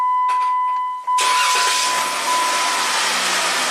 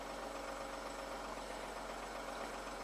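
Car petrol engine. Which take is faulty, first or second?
second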